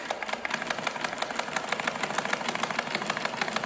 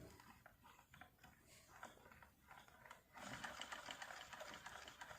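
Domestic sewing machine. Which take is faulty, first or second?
first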